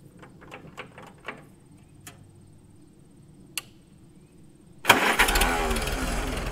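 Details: Freshly restored 1942 Farmall H tractor, muffler just fitted, carb roughly tuned, engine still breaking in and not fully hot: faint clicks and taps, then the engine catches and settles into a steady, even run; clean start.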